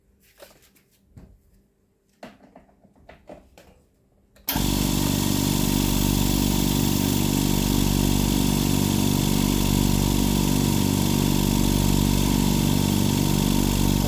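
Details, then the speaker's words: Air compressor started after reconnecting the non-return (one-way) valve as a fix for a fault. It kicks on and settles into a steady, even piston thump of about 3.5 beats a second, running normally. "just want to show you how quickly this little bugger pulls up pressure"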